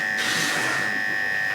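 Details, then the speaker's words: Hair clipper running after a Cool Care spray: steady high-pitched buzz turning harsh and scratchy as the blade runs dry with no oil, metal sliding on metal, which dulls blades quickly; oiling is needed. "And you can hear how the noise changed a little bit. And what that change was is now we have a dry blade with no oil on it. And so that's the metal sliding against each other, and that's going to dull your blades out really quickly."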